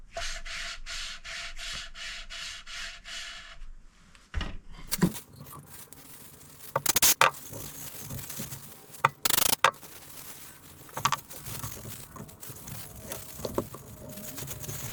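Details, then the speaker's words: Hand valve lapping with coarse paste: about eight even, gritty, scratchy rubbing strokes in four seconds; light pitting on the seat not yet ground out, one more coarse pass then fine paste needed. "So I think we need one more go with the coarse, and then we'll give it a couple of goes with fine, and then probably done."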